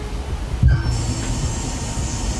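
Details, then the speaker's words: 2010 Ford Taurus 3.5 with crank/no start, fuel pump activated from scan tool with key on: faint steady high hum for a couple of seconds; fuel pump is running and pumping. "and it came on so uh we know the fuel pump is at least pumping so I'm just going to assume that we have fuel"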